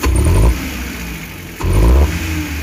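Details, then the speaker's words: Futura 1.5 petrol van, throttle blips: engine bogs and stumbles as revs pick up before settling to idle, no vibration; hesitation suspected as misfire, spark plugs and throttle body to be checked, unconfirmed. "sebenarnya mobilnya ndak getar ya Bu ya cuma sinyal saat di gas"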